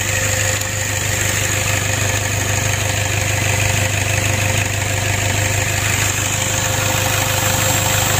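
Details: Toyota Innova diesel that was hard-starting, rough and low on power, after valve clearance adjustment and replacement of the CMP and CKP sensors: a steady, even idle with no miss, shake or knock.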